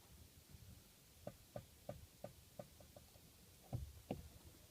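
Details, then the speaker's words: Mazda 6 GH 2.5, 107,000 km: sharp light clicks, about three a second, from the clutch pedal when released slowly, not when released quickly; started about a week ago. "недавно заметил такую как бы посторонний звук когда выжимаю педаль сцепления идёт какой-то непонятно щёлка"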